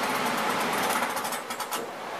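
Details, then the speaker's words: Old furnace PSC blower motor, four speeds wired to a rotary switch, running on high outdoors at about 96°F during a run-capacitor repair. Steady, even airflow roar and smooth motor hum with no rattles or surging. Normal operation. "there she goes I guess you can hear she's a blowin good"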